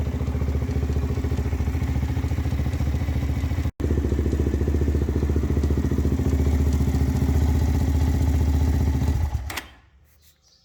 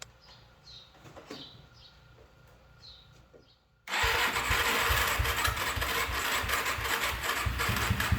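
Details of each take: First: Z400 quad after one-way starter bearing replacement: uneven, labouring chug about three and a half beats a second that dies after nine seconds; the starter motor is failing. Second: Suzuki LT-Z400-type quad (z400) after replacing the one-way bearing, starter and stator gasket to fix a starting issue: quiet, then the single catches within seconds and settles into a steady, even run; starts cleanly and idles fine.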